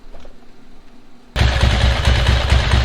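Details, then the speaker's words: 1992 Ducati 900SS twin during carburetor sync adjustment via the idle and sync screws: catches and settles into a lumpy, uneven idle with irregular low thumps; the two carburetors are way out of sync. "Yeah, they're way off."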